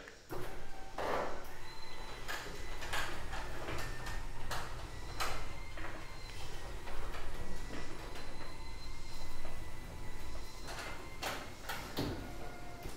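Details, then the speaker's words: New Genie belt-drive garage door opener closing (downward motion): only a soft, steady low motor hum with a few faint clicks; belt essentially silent; normal quiet operation. "so let's go ahead and hear this thing on the downward motion absolutely silent"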